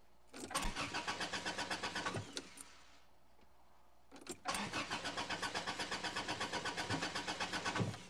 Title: Parking Lot Engine Fail - Crank No Start